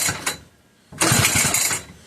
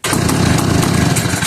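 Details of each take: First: McCulloch 1-52 chainsaw (87 cc), freed up with strong compression, bar clamped in vise, switch in run: four rapid pulls each giving a brief raspy sputter that dies; cranking, no start, spark confirmed, owner suspects flooding. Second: McCulloch 1-52 chainsaw, freed up with strong compression, after adding fuel: rough, rapid two-stroke buzz catches right away, holds a steady run for over a second, then fades as the saw dies; engine starts and runs.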